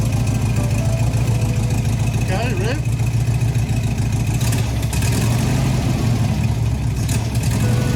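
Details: 1971 VW Bus Deluxe Kombi air-cooled flat-four, new exhausts, air cleaner and throttle return spring installed: deep, even chuffing idle with steady low beat, no knocks or rattles; running healthy.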